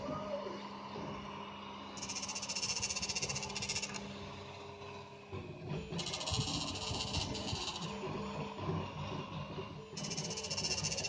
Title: Y-axis making noise on my new Prusa I3 mk2